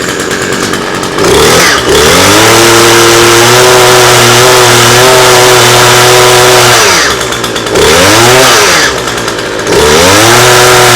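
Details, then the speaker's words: Cheap flea-market two-stroke hedge trimmer said not to run, started after priming on full choke: crisp buzz holds a steady idle, revs up and drops back cleanly several times; runs normally, though a burnt smell is noted. "ignition choke fuel why I want it run it runs sounds nice and they say it they said it wouldn't"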